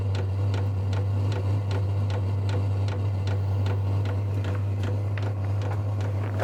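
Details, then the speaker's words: Vevor 8 kW diesel heater starting on its recommended 12 V power supply after earlier voltage problems: even fuel pump ticks about three to four a second over a steady low hum as ignition appears to happen; normal start-up. "Oh, there's the fuel pump. And I hear something, sounds like some ignition happening."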